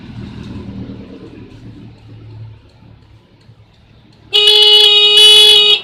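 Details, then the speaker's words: Yamaha Mio horn, negative-controlled circuit, tested by bridging the black and pink wires to the switch with key on: clear loud steady horn blast of about 1.5 s; horn and wiring work, fault suspected in switch. "Nah, masih bunyi. Oke, langsung kita buka aja saklarnya."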